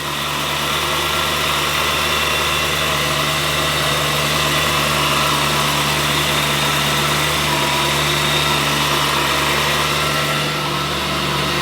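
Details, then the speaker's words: BMW E92 M3 V8 with an HSS supercharger kit just fitted, first cold start: a steady, even idle with a constant high supercharger whine and no misses; it sounds right. "yeah I'm I quite happy with that yeah well I mean she starts so coming off cold start sounds right to me"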